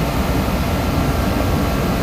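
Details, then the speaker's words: DeWalt torpedo heater after pressure was adjusted further, following a no-start and fuel-spitting issue: even whooshing roar from burner and fan, no sputtering, popping or surging; running okay now. "well they adjusted the pressure of this a little bit more everything seems to be running okay now"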